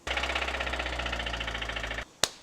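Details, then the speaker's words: Running car engine with a rapid, even metallic knock about fifteen per second that then stops; engine knock, with oil deprivation from skipped oil changes suspected. "Why is my car engine knocking?"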